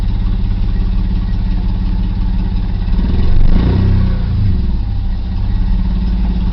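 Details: 1990 BMW E34 520i, M20B20 engine with LPG/petrol conversion, cold engine: uneven, lumpy idle with irregular low chuffing and a brief stumble; won't start on LPG, barely starts on petrol. Owner suspects failing fuel pump; fuel light always on, gauge dead.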